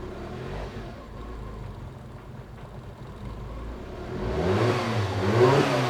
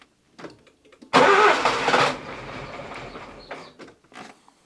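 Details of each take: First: Nissan Micra K11 1.0 petrol after replacing the faulty ignition module for a crank-no-start: quiet murmur, then the engine catches with difficulty and climbs through clean revs, no knock or misfire; hard start suspected from overfueling after repeated start attempts. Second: Nissan Micra K11 1.0L with crank-no-start: silence, then one loud burst as the engine fires once and dies without catching; fault traced to a failed ignition module, fixed by replacing it.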